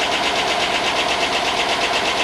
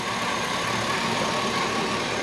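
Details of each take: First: 5.3 LS Chevy Tahoe engine, first start after long non-running and fixed grounds, good oil: fast light ticking about four a second over steady idle; owner suspects lifters not yet pumped up. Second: Chevy 5.3 LS in a rusted Tahoe donor that was not running when bought, now running: even, steady V8 idle with a smooth low hum, no ticking or knocking, far quieter than before; normal idle.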